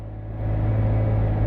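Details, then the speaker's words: 3.6 Pentastar V6 after a P0300/P0306 misfire repair (cylinder 6 coil and all spark plugs replaced), revved under simulated load: engine note swells smoothly, steady hum, no bucking; normal running under load. "feel any bucking, don't hear any bucking, none of that."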